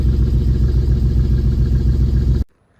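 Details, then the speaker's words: BMW E36 started for the first time in two years, after plugging in a previously disconnected ignition coil: even, regular low pulses at idle with no skips or stumbles before shutoff; all cylinders firing cleanly, normal idle. "see what it sounds like after that it literally sounds even better now it sounds like perfect now"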